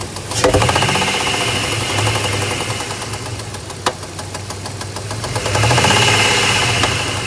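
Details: 2002 Dodge Ram 1500 3.7 V6 idling: sharp, irregular tick-knock/popping two or three times a second; knocking at idle, source not pinned down, cause suspected not confirmed.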